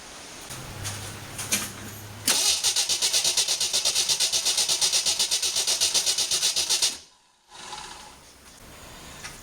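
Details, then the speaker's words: 1981 Jeep CJ8 Scrambler, AMC 258 inline-six, just converted to Ford TFI ignition: steady starter cranking about two and a half turns per second, never catches; crank no start, no spark from the coil. "It seems as if there's still no spark. I may have to do a few other things to see what I can figure out."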